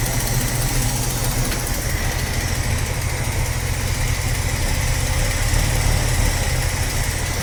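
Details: 45-year-old 2.8-litre Vauxhall Royale coupe petrol engine, after carburettor swap and idle tuning, idle at the correct 1.5: smooth, even idle held steady with no misses, knocks or hunting; normal idle.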